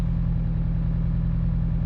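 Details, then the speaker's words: High-power Mitsubishi Evo IX, started cold at 30°, idling as temperatures rise: a low, steady idle rumble with a recurring stumble as cylinder 3 misfires; spark plug and coil ruled out, injector swap next, cause not yet found. "oh there it is I can feel it coming around okay we are misfiring now what cylinder is going down number three"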